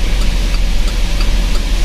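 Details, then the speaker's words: GMC V8 idling after top overhaul, throttle body and injector service and oil pump o-ring replacement: low, even idle rumble with steady beat, no knocks or ticks; RPM now stable, no check engine light, oil pressure okay, no overheating; normal idle. "Tapos yung RPM stable na, hindi na siya gumagalaw, tataas tapos bababa."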